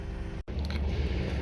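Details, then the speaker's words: Skoda Octavia 1.8 TSI turbo with hot no-start, warmed up after replacing the fuel pump module (debris in tank); high-pressure pump pressure now holds; smooth, even low hum with no miss or stumble; normal warm idle. "автомобіль у нас вже прогрітий як бачимо тиск в ТНВД в нас тримається після заміни паливного модуля продовжуємо тест"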